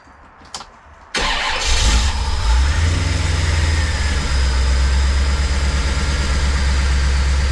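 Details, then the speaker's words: Corvette small-block Chevy V8, after HEI distributor repair (suspected moisture in cap) that caused rough running: catches at once after brief crank and settles into steady, even idle with no misses; healthy running. "All right, so buttoned back up. It started right up and uh ran real nice and smooth."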